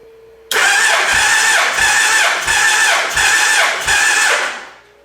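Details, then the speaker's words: Gen 1 Suzuki Hayabusa after cam chain replacement, cranking during a compression test (about 194 psi): slow, labored cranking with one compression pulse about every 0.7 s, weakening as the battery goes dead. "Battery's going dead, all this cranking."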